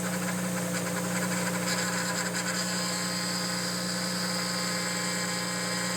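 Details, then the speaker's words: Audi B5 S4 at idle after replacing the old aftermarket power steering pump with a known good OEM unit: a thin, steady whine at constant pitch, much quieter than before; air possibly still bleeding out, suspected to fade with time. "okay well still making a little bit of noise but we might have to just give it some time to uh bleed out [Music] fully D has gotten significantly quieter"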